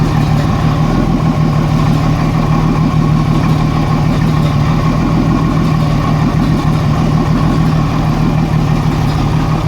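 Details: 1987 Jeep Cherokee Renix 4.0 rough idle: loud, low, uneven loping pulse, one cylinder missing; cylinder 6 exhaust rocker not moving fully, from a sticking exhaust valve or bad lifter; loosening its rocker bolt made it run smooth with a slight tick.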